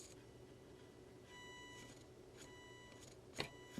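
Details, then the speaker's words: JAT801 audio amplifier on first power-up: a thin buzz cuts in and out over a quiet room as a headlight shines on an exposed LED, light altering current in the differential input stage. "I just noticed something I had my headlight on here and I was hearing this buzz when I moved it around the board hear [Music] that so when I put it over this led it's causing it to uh change the current I guess enough in the uh differential input stage to cause that [Music] buzz"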